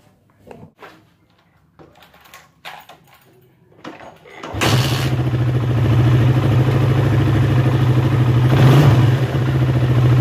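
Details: Suzuki Satria FU motorcycle checked for noisy cam chain: after handling noises, engine starts and settles into an even, steady idle with a brief blip; no obvious chain rattle, normal idle.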